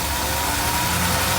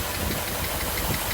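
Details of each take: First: 1982 Mercedes 380SL V8 at idle just after a new oil-preloaded timing chain tensioner was fitted, first start after sitting a long time: a steady, even, quiet idle with a smooth low hum and no ticking or chain rattle; the engine sounds healthy. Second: 1982 Mercedes 380SL V8 after new timing chain tensioner, warm with thermostat open: steady idle with a light, quick tap-tap on the passenger-side bank; valvetrain tick, cause not pinned down.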